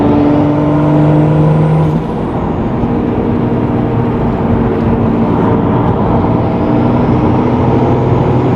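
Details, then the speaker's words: Nissan 350Z with 2JZ swap and brand new CD009 transmission, during break-in: the engine pulls steadily and the tone drops cleanly at a shift near two seconds, then settles. Gear changes sound smooth and healthy. "I just want to go through all the gears, make sure everything shifts fine, and I think we're all wrapped up with this thing."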